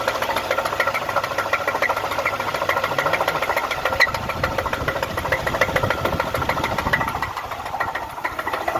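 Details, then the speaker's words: 3.8-litre supercharged Pontiac engine at idle: steady, fairly even knock near three per second over the running sound, a deep bottom-end rod knock; the engine later seized and would not turn over on restart. "you know what that noise is sound of a rod knock thank you"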